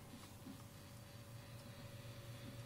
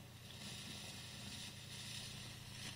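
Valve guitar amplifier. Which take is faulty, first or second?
second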